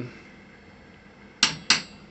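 Two sharp metallic clicks about a third of a second apart in a quiet room; the solenoid snapping shut to stop the burner.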